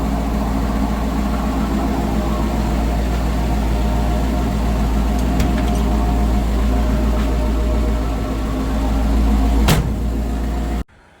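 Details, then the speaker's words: Holley Sniper EFI engine after three years, barely tuned (TPS and IAC only), with a coolant leak and slightly loud injectors: low, steady, even idle with no misses or surging for ten seconds before shutdown; idles fine. "a little tuning into it, and it seems to idle fine and run well. And overall, I think it does pretty well."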